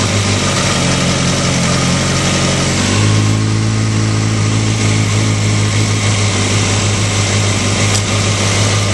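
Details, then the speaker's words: Four-cylinder engine at idle after adjusting the manual cam chain tensioner: steady, even, much quieter running, settling slightly lower, with the earlier cam chain rattle gone. "you can hear the engine A lot quieter before it had a lot of rattle um right now um it's it's very quiet I don't hear the rattling at all"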